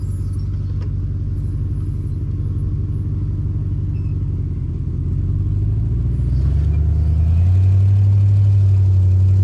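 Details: Jeep WJ Grand Cherokee driving around a yard before the exhaust leak was fixed: deep, throaty rumble with a steady low pulse swelling as speed rises, consistent with an exhaust leak.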